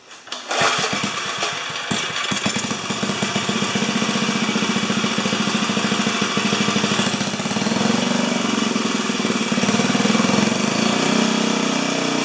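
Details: 4HP horizontal Briggs & Stratton single: it fires and settles into a rough, uneven chug with only a slight rise in speed. Throttle response is limited.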